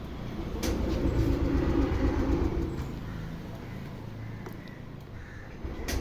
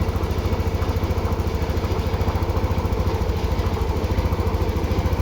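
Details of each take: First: TVS Jupiter BS6 scooter with hard starting and stalling: steady starter churning about four beats a second in two long bursts, never catches; cranks but won't start. A different spark plug later let it start but not idle. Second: TVS Jupiter BS6 scooter that was hard to start and stalling, after battery reconnection work: even low putter about three and a half beats a second, steady without hunting or stalling; now idling normally, not yet road-tested.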